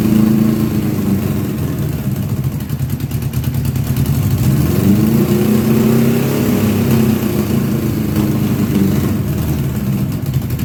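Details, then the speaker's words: 1982 Honda GL1100 Goldwing Aspencade, sat three years, fresh fuel, engine reportedly rebuilt with new plugs: low uneven idle with lumpy stumbling beat; rough running, misfire, a couple of carbs hit or miss. "This is the part I always talk about when I say, "Oh, yeah, it will start and run, but it ain't going to run right.""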